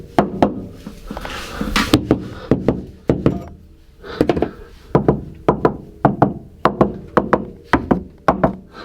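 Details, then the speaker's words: After sound deadening with 80 mil Kilmat (majority coverage, not every piece) on a Subaru STI trunk panel, hand knocks give short dull thuds with little ring; sounds better, not perfect, but well damped. "think it definitely sounds better um not perfect but definitely better"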